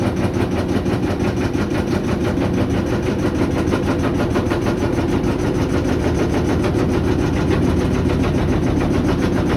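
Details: GE GUD27ESSM1WW stacked washer-dryer spinning empty: loud, heavy rumbling thump about one and a half times a second; banging during the spin cycle.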